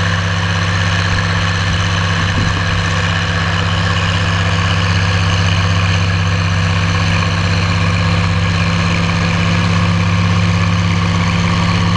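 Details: Oliver 1550 diesel tractor (about 54 hp) pulling a John Deere BW disk about six to seven inches deep, running like a top now that whatever was in the fuel system has cleared; a deep, even drone under load with no misses or knocks.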